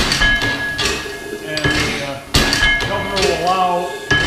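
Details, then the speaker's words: Full-size reproduction of the 1867 Otto & Langen free-piston gas engine with hydrogen ignition flame, governor sped up to near 80 rpm, flywheel loaded: heavy uneven clunks every half second over ringing metal as it fires more often; normal running under load. "rapid descents of the flywheel, or the piston, and rack assembly, and it will fire more often."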